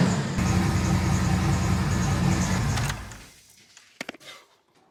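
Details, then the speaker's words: 1999 Chevrolet Silverado Z71 5.3L V8 with new longtube headers, exhaust only half done and no muffler: a deep, loud rumble holds steady for about three seconds, then cuts off cleanly. It sounds healthy, though what sounded like a leak was heard. "guys today's been a massive success actually more of a success than i thought we were gonna get that sounded incredible old hot rod tone smell feeling rumble"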